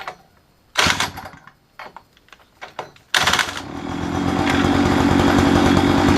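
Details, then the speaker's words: Mini chopper found at a dump, throttle and clutch working: a few pulls, then fires and settles into a steady, even, smooth buzzing idle; runs fine. "The throttle works and the clutch works, so it seems to run pretty good."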